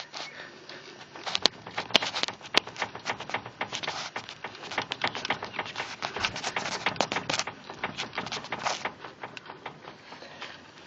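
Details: 2013 Skoda Fabia 1.4, 95,000 km; sharp, uneven clacks and light knocks as the wheel is worked, no engine noise underneath; worn steering rack knocking.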